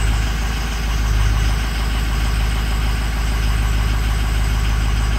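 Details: 6.0 Powerstroke diesel with bad injector #6: deep idle with an uneven, loping beat about four times a second instead of a smooth run; one injector not firing properly.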